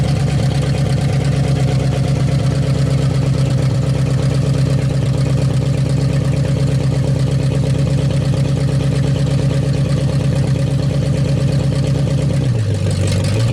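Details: 1956 Studebaker Golden Hawk V8, first start in 50 years, carburetor and mechanical fuel pump working; deep even idle rumble, no knocks or misses, brief dip at end; running good, needs fine tuning.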